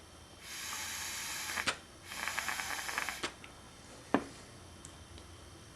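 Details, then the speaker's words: Mazda B2000/B2200/B2600 vacuum solenoid, disconnected and de-energized: air blown through the side line passes freely and comes out the air filter, two soft one-second hissing bursts with clicks between; normal airflow through de-energized solenoid. "we should be able to blow air through this side line and hear it coming out of the air filter"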